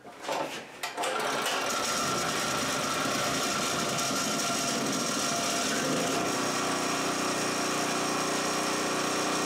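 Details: Harbor Freight 3000-watt portable generator, converted to tri-fuel and running on propane through an adjustable regulator: it cranks, catches and settles into a steady, even high-pitched hum with no surging or misfire. Running normally.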